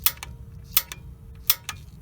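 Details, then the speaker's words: Honeywell gas valve water heater, igniter test with temperature knob off: three sharp crisp snaps about three-quarters of a second apart with faint echo clicks; normal igniter clicking, spark checked through sight glass; the failed part was the valve control board. "you have the temperature knob in the off position and you click the igniter or strike it like this"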